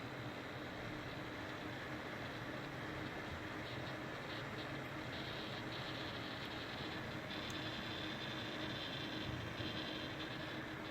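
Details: GTX 1070 graphics card fan: steady rushing noise with a low hum and a wavering high-pitched whine, occurring only between 40 and 80 percent fan speed.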